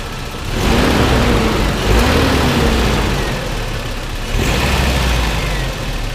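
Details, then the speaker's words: Toyota turbo pickup after a new timing chain, chain guides, tensioner and water pump: starts, blips, then settles to an even idle with no rattle as revs drop, where broken guides had let the chain slap before; normal idle. "now you see that is ticking over quite nicely now"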